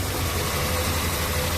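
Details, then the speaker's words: 1974 Triumph TR6, restarted after about four years sitting with ignition points trouble; steady, even low idle with a regular beat, no misses or knocks, running well; owner thinks coolant may be low. "I got to check the coolant cuz I think it's low so stand by it's running and it's running pretty damn good"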